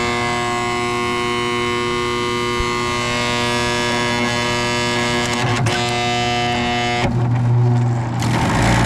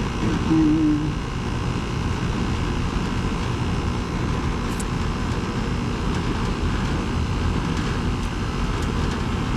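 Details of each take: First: Carrier GasPack that isn't heating, furnace side: constant droning hum with a buzzy tonal whine that holds steady, then shifts near the end, from a failing inducer motor. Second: 2010 Carrier GasPack rooftop unit (14 years old), AC run on a 64-degree day after finding the no-heat cause; pressures well above freezing; steady even low hum and drone, no knocks or rattles: compressor running normally in cooling.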